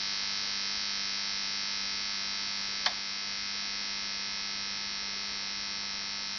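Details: Onkyo TX-NR709 AV receiver after about 1 hour of running: steady, thin electric buzz like a shaver with one sharp click midway; receiver buzzing, cause unknown.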